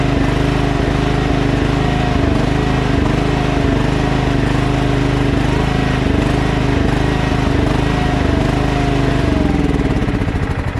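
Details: Other Craftsman LT1000 lawn tractor: a steady single-cylinder chug whose pitch wavers every few seconds before dying away, hunting at idle. Carburetor cleaned twice and throttle bracket and spring adjusted; still surges, owner considers a new carburetor.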